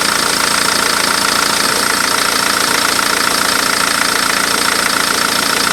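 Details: 2008 Ford Focus 1.8 TDCi after refitting the serpentine belt and cleaning the pulleys (old belt edge-ripped at 30,000 km): steady, even diesel idle with no squeal or chirp; the belt drive sounds healthy.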